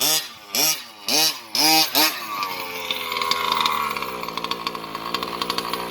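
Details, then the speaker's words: RC vehicle, small two-stroke engine, running after a chainsaw-type one-way breather valve was fitted, which made a big difference. Buzzy high-pitched revs in short blips, then a steady rattly run with no stumbling; lots of power now. "I do think that chainsaw breather is is much better um so guys if you're having trouble the chainsaw breather it seems to make a big difference"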